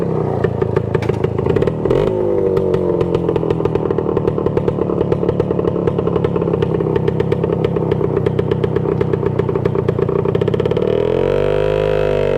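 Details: 1966 Suzuki Bearcat 120cc two-stroke motorcycle, revived after long storage, just kick-started, a leak still to be found: crisp, even ring-ding popping holding steady, then swelling cleanly with a throttle blip; running well.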